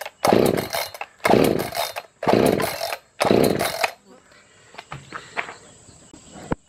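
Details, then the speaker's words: Echo CS-590 chainsaw with good compression, choke on and fueled: four sharp pull-cord bursts about a second apart, each dying away, never catches; no start, traced to an intake air leak from a missing intake gasket. "I can demonstrate not starting right now. Alright, this is the first attempt of starting it. It's got choke, it's got fuel, it's got compression."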